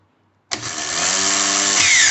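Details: Starter motor, after staying engaged and spinning with the engine: spins up into a high steady whir with a shifting rattle as the bendix drive slides back and forth; worn sliding ring on the bendix shaft where the fork engages.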